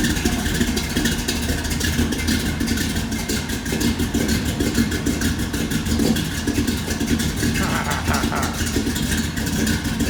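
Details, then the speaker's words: Big block Squarebody GMC Jimmy just converted from propane to gasoline, with a new, not yet shimmed starter: even, rapid firing beat through idle and light revs with no misfires or knocks; normal running. "hahaha what a difference it made by going from propane to gasoline"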